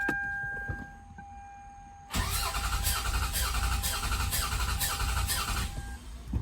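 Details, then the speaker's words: Cranking with spark disabled, full throttle, 3 to 4 seconds during a compression test on a 6-cylinder being diagnosed for knock; uneven rhythm only because several plugs removed, all cylinders read within spec; normal cranking. "That was cranking goofy just because a few spark plugs were missing."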